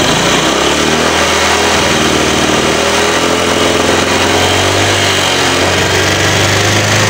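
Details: Engine held on throttle sounds choked and flat, pitch barely climbs, cannot rev freely; timing, throttle body and spark plugs already checked; blocked catalytic converter with wrong oxygen-sensor readings, power loss and high fuel use; cat later gutted/replaced with pipe.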